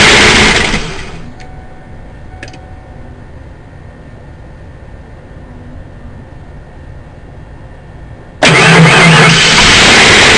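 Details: 1992 CV with a plastic intake: starter cranks hard for a second, goes quiet, then cranks again from eight seconds without catching. Cranks but won't start.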